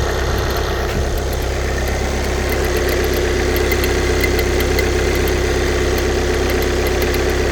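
Light, rapid ticking about twice a second rides over a cold diesel idle and keeps pace with the engine; a clicking noise of unknown origin.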